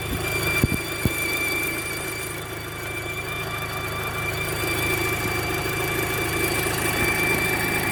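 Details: Audi Mk2 8J TT, V-belt removed after replacing alternator pulley, tensioner pulley, belt and A/C clutch pulley; thin steady high squeal over smooth idle from accessory drive area, faint from start, louder later.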